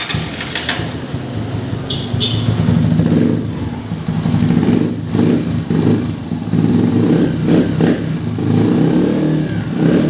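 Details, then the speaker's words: Honda TMX 125 at 3,847 km, after oil change with 900 mL Honda 10W-30 and valve clearance adjustment: steady even single-cylinder idle, top-end tapping (lagitik) now gone, valve train quiet; normal idle. "Ayun mga ko umaandar na yan kung rinig sa video wala na yung lagitik niya"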